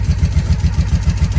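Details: 1983 Honda V45 Sabre VF750S V4, just started after cleaning the starter button contacts, warming up: steady low, even idle pulse with a regular beat, no misses or knocks; idling cleanly.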